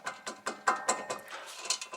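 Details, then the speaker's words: 2018 Acura TLX rear hub bearing, loose hub turned by hand: gritty, rough clicking bursts about five times a second with excessive play. The same noise was heard while driving; the worn hub bearing is replaced. "insane look at that noise this thing sounded in the same in the car"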